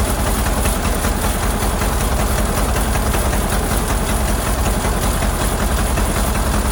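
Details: Ford Model AA doodlebug (cut-down farm truck), old four-cylinder, running after a new carburetor was fitted: uneven, lumpy, loping idle under a steady low rumble. Shorting plugs with a screwdriver shows cylinders 3 and 4 at the back misfiring; owner earlier suspected a stuck-open valve.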